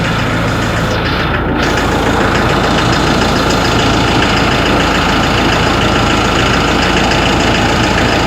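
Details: Ford Ranger 3.0 Limited diesel idling cold: fairly steady knock about three times a second over the usual clatter; mechanic and injection-pump specialist could not find the cause.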